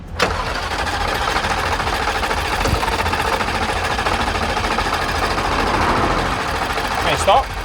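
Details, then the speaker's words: 140,000-mile Jaguar XFR supercharged V8, modified for more power, after suddenly stopping: engine churns over steadily for several seconds but never catches; specialist found the timing chain very loose and jumped, with serious damage. "That chain is loose as hell. Wow. Oh, okay. Yeah. that change jumping. Yeah, you've done damage big time there."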